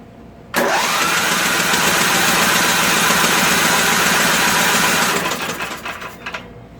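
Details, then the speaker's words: Craftsman 13 hp Tecumseh OHV rear-engine tractor that previously had no compression and a suspected valve/pushrod problem, cranked to blow out debris before setting the valves. A steady, even cranking whirr with no knocks, scrapes or odd noises. "i don't hear anything weird i just crank it blow out whatever junk comes out and listen"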